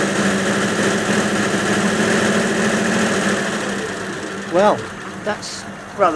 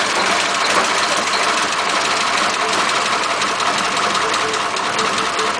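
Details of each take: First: 1941 Ford pickup flathead that started but would not rev, now running with a temporary harness and substitute condenser: steady, even running with a smooth low drone and no misses; normal running. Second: 1941 Ford pickup with flathead engine, carburetor and distributor: lumpy idle that stumbles and won't rev properly.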